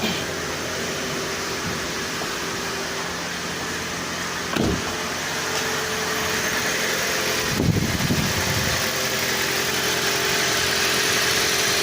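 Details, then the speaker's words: 2011 Toyota Prius, cold, just after intake cleaning and reassembly, coolant temperature light on from an unplugged connector: smooth, even idle hum with faint fan whir, no tapping or stumbling; engine started up smooth. "The motor started up smooth though."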